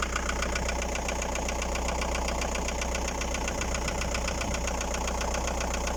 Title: Стук в двигателе Фольксваген Пассат б4, 1.9 td. AAZ Стучат поршня.